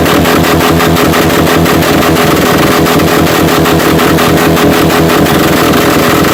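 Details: Subaru 4-cylinder derby car with failed clutch, two rod bolts loosened: loud hard-run engine with fast, heavy rhythmic banging under the roar; loose rod knocking toward engine failure.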